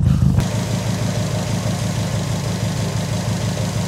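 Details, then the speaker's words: Subaru WRX petrol idle at about -2 degrees, after derusting gas tank in car: light quick metallic click-click-click from loose heat shield underneath; holding it with a screwdriver stops the noise. "I don't know if you guys can hear that click, click, click, that heat shield, that one is a little bit loose underneath there. I held it with a screwdriver and the noise goes away."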